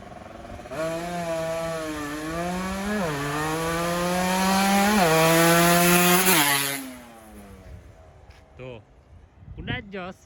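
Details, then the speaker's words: Two-stroke motorcycle engine after a cylinder liner replacement, tested before the main jet is changed: it revs in rising bursts but flattens near the top instead of pulling. Lean top end, to be richened with a bigger main jet. "Buat bagian atasnya sedikit lebih kaya agar terdengar bagus. Ini terlalu kurus, ya."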